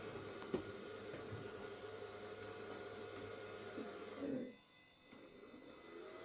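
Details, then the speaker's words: IBM/Cyrix Socket 7 Windows 98 PC at first power-on, 64 MB memory: a steady, loud whirring drone with a fixed tone, then it cuts out. A suspected odd hard drive sound turns out to be a loud processor fan. "hard drive is making some odd sound and it's quite loud guessing it's the processor fan"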